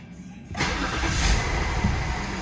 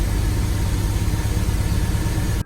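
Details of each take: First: 2004 BMW 525i after fixing cylinder 2 misfire that caused shaking (throttle body also cleaned); first start after repair, engine light not yet reset; brief crank, catches at once and settles into smooth, stable idle with no shake; normal start and idle. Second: 2004 BMW 525i inline-six at idle: low, lumpy, uneven idle with the car shaking, cylinder two misfire code read; cause suspected, not confirmed.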